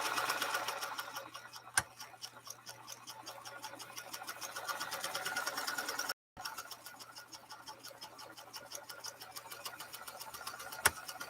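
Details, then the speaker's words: Pfaff 230 sewing machine, restored, run deliberately very slowly on a decorative stitch pattern: slow even ticking of about three stitches a second over a quiet motor, no knocks or grinding; normal running. "I'm going to try to really slow her way down so you can watch that you are able to harness the power on this machine as well all right here we go it's going real slow"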